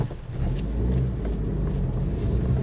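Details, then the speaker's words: 2005 Mitsubishi Shogun Pinin, low mileage, driving: deep steady growl under road noise that builds with speed; owner suspects a worn wheel bearing, noise gets worse when steering is applied. "right that wheel bearing is making me ill give me a headache oh yeah right I now suspect it's the wheelbarrow because as soon as I put my steering wheel on a bit of a bit of luck the noise has got worse"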